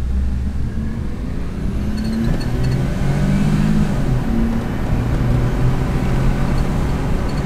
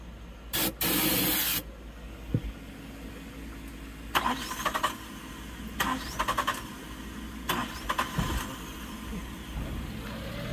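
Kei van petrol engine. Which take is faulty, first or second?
second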